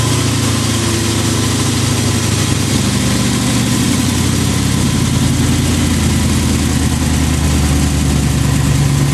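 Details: 1988 Lamborghini Countach replica after fixing a fuel starvation no-start, fuel pressure primed to about 40: steady, even idle with a deep rumble and no stumbling, surging or misfire; idling cleanly, fuelling properly.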